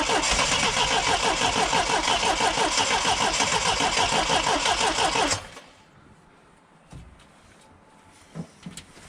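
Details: Triumph TR7 with twin SU HS6 carbs: runs with a quick even beat for about five seconds, then cuts out once choke is removed; owner suspects too lean, not enough fuel, checking for air leaks; stalls without choke.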